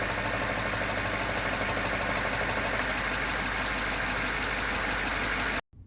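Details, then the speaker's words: BMW 750Li at idle after new PCV parts were fitted: steady fast ticking and whirring with a faint high whine heard under the oil cap, then it cuts off; normal vacuum pump noise for this car, nothing wrong. "So that noise that you hear under the oil cap is totally normal. It's a result of the vacuum pump that's used in this kind of car. If ever you hear that noise, it's nothing to worry about."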